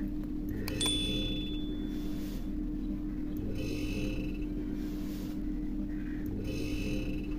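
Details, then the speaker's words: LG double-door fridge, compressor at the rear after the auto cut-out: a steady low hum keeps cycling without the compressor ever starting, and ice is melting. Start relay or overload protector suspected faulty. "এই যে গোঁ গোঁ করে একটা আওয়াজ হচ্ছে, অর্থাৎ কম্প্রেসারটা start নিতে পারছে না আপনার।"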